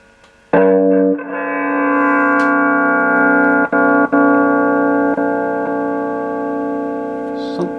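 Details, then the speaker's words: Mesa Subway Rocket guitar amp, sound fades after warming up: a sustained chord cuts out in brief sharp dips. The effects loop return jack is suspected of a loose contact, since touching it makes the signal come and go. "intermittent there oh yes that's gone now it's this Jack it's this return Jack"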